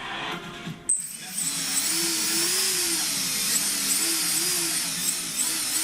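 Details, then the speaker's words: After a sharp click while arming the drone, a high wavering motor whine rises as the rotors spin; one motor is dead, and it is unclear whether the motor or ESC is at fault. "These motors fuel up perfectly fine, but it's this one, the one that's broken. As you can see, I found a way. See? This motor works, but this is the one that's messed up back"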